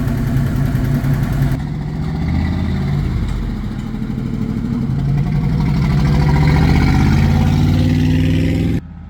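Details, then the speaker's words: 1969 Chevy K20 V8, off the road since about 1982-83, freshly tuned up, with the exhaust rusted away. Loud open idle with a light tick about four a second, sounding like a collapsed lifter; otherwise fires right up and runs great. "it does have a sounds like a lifters collapsed so it's got quite a tick but it fires right up sounds great"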